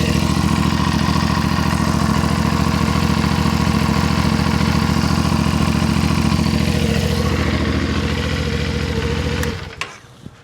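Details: CFMOTO Ibex 450 single-cylinder in break-in, just after 10W-40 non-synthetic oil change: even steady idle thump, no knocks or misses, about nine seconds before shutdown while checking leaks; healthy.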